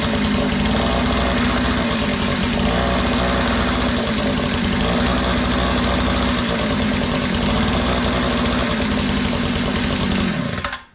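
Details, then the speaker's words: Curb-found Tecumseh two-stroke Mantis-style tiller, first start after fuel system cleaning, on choke: even busy buzz held ten seconds then clean cut-off; runs normally, though throttle not yet responding before carb adjustment. "Alright, she runs, but if you notice, I was squeezing the throttle and it was not responding."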